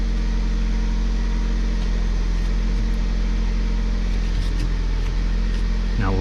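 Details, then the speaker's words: 2002 Hyundai Elantra after power steering pump replacement (old pump had bearing shimmy and was very loud), front wheels off ground, wheel turned side to side: engine idles with steady low hum, no whine or groan; pump now quiet. "so there she sounds nice and quiet now"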